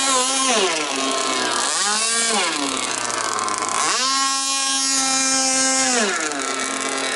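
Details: Jet boat engine run on a river after an impeller change: very loud, raw two-stroke scream rising and falling with throttle, undamped because no silencer is fitted. The motor mount came off during the run.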